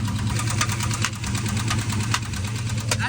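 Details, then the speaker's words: 700hp junkyard-built turbo truck V8 on the road while tuning: sharp metallic knocks about every half second over rough idle, from the cylinder head/top end; owner rules out a spun bearing and suspects a lifter; valvetrain knock. "there's no way a spun bearing would be get that bad that quick though so it's got to be a lifter yeah come Wars it just keeps making more bad noises"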